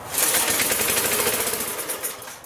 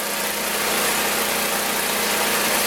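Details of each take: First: 1983-era Briggs & Stratton engine on a Magna air compressor that sat 5 years, first pull on carb cleaner: rapid popping catches about two seconds then fades; owner notes an air leak, cause unconfirmed. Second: Magna air compressor, circa-1983 Briggs and Stratton engine, sat 5 years, first start on carburetor alone without carb cleaner: steady even speed with bright rattly exhaust bark; runs awesome, reaches 100 psi, owner may raise to 120.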